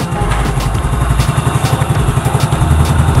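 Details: Yamaha Mio Soul GT 115 scooter after new cylinder block installed: steady, even small-single thump at idle, about three to four beats a second, no clatter, healthy; exhaust smoke from old oil residue expected to clear.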